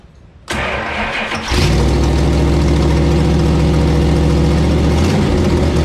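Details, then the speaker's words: 1968 Dodge Charger R/T V8 on first start after swapping the Edelbrock for a Holley carb with a bug catcher and reconnected vacuum line: it catches after a second of cranking and settles into a deep, steady, even idle. It sounds good; leaks were found afterward. "well it sounds good"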